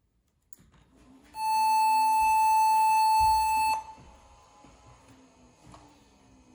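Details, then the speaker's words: HP Pavilion N5445 laptop (~2001, AMD Duron/Athlon, PC100 SDRAM, 128 MB RAM) powered up after reassembly: one steady high POST beep about two and a half seconds, then quiet, with no video; cause unconfirmed, owner plans to try new RAM. "Sounds like it's booting again, but there's no video now. That's a problem."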